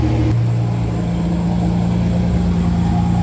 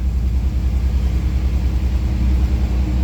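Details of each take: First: 1988 Ford Bronco II with 2.9 Cologne engine, after fuel filter replacement: low, steady idle hum with a faint irregular pulse; idle still uneven, cause not yet found, though revving response improved. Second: 1988 Ford Bronco II after replacing fuel filter and both fuel pumps (including in-tank): low, even rumble with light throttle blips picking up cleanly, no stumble or misfire; better response, idle still suspect.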